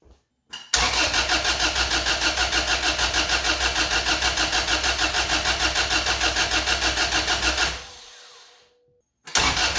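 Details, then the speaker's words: Honda Civic/CRX with B18B1 swapped in for D16Y8, first start attempt: starter churns steadily about three pulses a second for seven seconds, never catches; no spark on cylinder one, suspected wrongly pinned homemade jumper harness. "all right guys so I did check to see if there was spark on the number one cylinder and there was no spark so I think it was the uh jumper harness that I made that might have been wrong"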